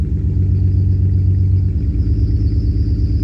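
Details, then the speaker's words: BMW E46 drift build, engine started to idle after a wash, owner suspects wet plugs or water in intake: low idle rumble with uneven, stumbling beat and occasional dropped pulse, a misfire as it fights. "I don't know if you can hear that but it kind of already sounds like it's having a bit of a misfire it's fighting"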